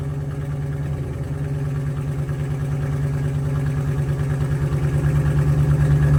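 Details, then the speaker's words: 1985 Oldsmobile Cutlass with swapped budget 283 small-block Chevy V8, new exhaust: lumpy idle, about three stumbles a second over exhaust rumble, sounds like missing; late timing had caused backfiring, miss cause unconfirmed. "so it definitely sound like it was missing though and there's a few times where I noticed it as well where it just kind of seemed like it didn't want to pick up and all of a sudden it would kind of pick up"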